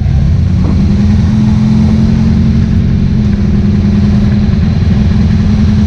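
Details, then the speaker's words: Cody's S10, 750 carburetor after 3.5 power valve swap and earlier secondary opening: pulls up and holds a strong steady drone under throttle, no stumble or flat spot; hesitation almost gone, pickup clean. "what you hear the hesitation is almost gone now it needs like a 2.5 instead of a 3.5 but it's she's right there and open up that secondary sooner helped a lot too it's just clean"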